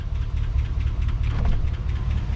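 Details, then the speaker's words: 270,000-mile truck after junkyard transmission build, on test drive pulling away: fast, even valvetrain tick over low engine rumble, louder because oil hasn't circulated after sitting a while. "Ready to take it for a test drive? Yeah. Here we go. Listen to that nasty tick."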